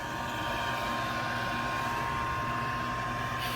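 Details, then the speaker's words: Used 92,000 BTU propane industrial shop heater, switch wires twisted together to bypass a suspected failed switch: steady, even rush of air over a constant hum with no rattle or scrape. Blower fan runs normally. "Theoretically, we touch these together, and it sounds good. Let me twist these. We're twisted. Oh. We've got air coming out there."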